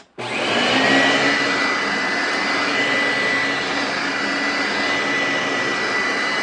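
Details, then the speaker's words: Used Eureka upright vacuum, tested on the correct carpet height setting: it switches on and settles into a smooth even high whine with a steady airflow rush, running well, though it smells bad. "So yeah, it runs pretty well."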